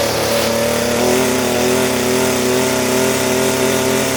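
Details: Echo SRM-230 trimmer two-stroke after carburetor replacement: runs at steady high speed but pitch wanders and steps, not holding an even note; running rough, may still need carb adjustment.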